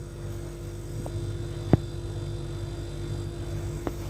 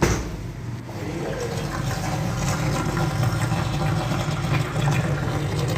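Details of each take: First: Refrigerator with door closed: steady low compressor hum with faint constant tone and a couple of soft clicks, no rattle or knocking; compressor sounds healthy. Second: Refrigerator, right after closing the door: a watery gurgle and bubbling from the compressor side as suction pulls air through the drain water; harmless, with cooling working normally.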